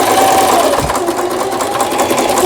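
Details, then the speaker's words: Singer 3221 Simple home sewing machine (shuttle race/hook) after repair of a hook timing angle knocked out of position by forcing the pulley; fast, even needle chatter with steady motor hum, no knocks or catches; lower-shaft cavity makes it somewhat loud; stitching normal. "버튼 정상 작동되고 있고 작동 스티치들 여기 A를 지나서 S1에 놓으면 3중겹 지그재그 바느질 정상적으로 작동되고 있습니다."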